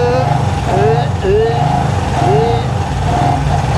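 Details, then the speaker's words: Honda CB360 twin, dead cold, kick-started on choke; lopsided beat running only on number one cylinder, number two not firing until warm because its ignition timing is set wrong, cylinder misfire. "you'll hear that it'll only want to run on the number one cylinder and when I start messing with the plug you will hear the engine come to life"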